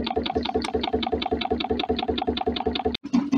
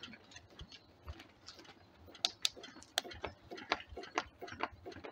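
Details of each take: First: DIY Stirling engine generator Mk4, rocket-stove fired, after stopping a part knocking against the swing arm: even, steady chuffing beat about two and a half per second with no knock between strokes; running smoothly. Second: DIY Stirling engine generator Mk4 fired by a rocket stove. Light knocks about twice a second, like a bouncing ball, from the natural rubber/silicone seal, which also appears to hit the swing arm.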